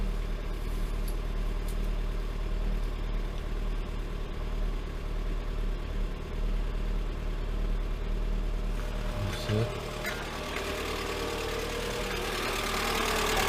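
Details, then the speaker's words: Lada Granta 126 engine, first start after full rebuild (bored block, 82.5 mm repair pistons, new bearings, timing kit, valves, guides, new plugs): low steady idle with a heavy, strained note and slight unevenness; labouring on first run. "Все, первый запуск. Ух ты, как тяжело-то. Первое время. Как тяжело работает."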